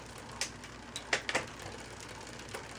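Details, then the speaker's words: Newly installed wide-range 1x9 bicycle drivetrain shifting down through the range: few irregular light clicks as chain hesitates onto larger cogs; doesn't like coming down to lower gears, cause unconfirmed. "doesn't like coming down to the lower gears. See, kind of clicky"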